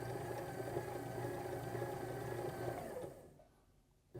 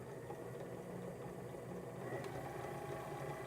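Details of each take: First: Sewing machine motor on a Sailrite Worker B 100-230V power pack, run from an AutoZone 400-watt modified sine wave inverter, low on wattage. Audible cycling; the hum sags and drops out about a second, then surges back; hesitation, not ideal. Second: Sewing machine servo motor on a Sailrite Worker B 100-230V power pack, run from a Duracell 3000-watt high-quality modified sine wave inverter. A quiet, even hum with no buzzing or surging; smooth normal running, probably the best of those tested.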